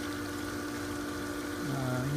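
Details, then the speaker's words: Pool pump motor, about two years old, previously hummed but wouldn't turn; after freeing the impeller/bearing by hand it now runs with a steady, quiet hum and water flow, healthy and kept as a spare. "it's nice and quiet so we'll just keep that one for a spare"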